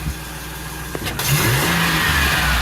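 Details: 2008 Express after an engine swap, first start without the upper radiator hose: engine picks up cleanly and revs smoothly with an even, steady firing note, no stumble or miss.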